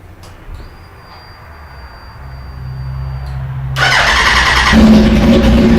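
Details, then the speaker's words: Motorcycle with fairings off after routine maintenance: quiet lead-in, engine catches into a lumpy, more loping idle and revs up snappier, crisper than before (owner unsure if oil viscosity); normal start and rev. "But to me, it sounds a little bit better. I'll fire the bike up. You'll hear a little bit more lope in it. It revs up a little bit snappier, and I'll shut off and go from there."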